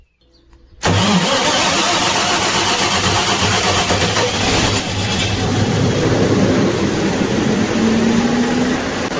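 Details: Olympian diesel generator after no-start from a flat battery, battery charged and connections tightened: quick crank, catches at once and settles into a steady, even run without misses; charging then checked above 13 V.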